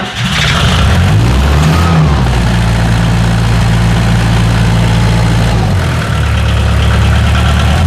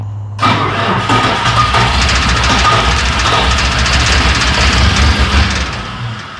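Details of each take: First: Bobcat 743 diesel skid steer, about 30 years old, started on a fresh battery after fuel system repairs and injector bleeding: fires up, then runs a steady low rumble with two clean rev-ups that return evenly; normal healthy running. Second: Bobcat 743 diesel skid steer, about 30 years old, after a new fuel filter, glow plugs held, on a weak battery: long, even cranking at about three turns a second, almost catching but not running. Air is likely still in the lines.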